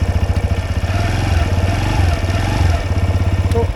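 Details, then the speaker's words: TVS Raider motorcycle with a knocking-type sound at 60 km/h, idling: steady single-cylinder pulse with a regular extra tap on each beat; owner suspects the magneto casing, cause unconfirmed. "एक और आपको sound में check करवा देता हूं वो sound regular है"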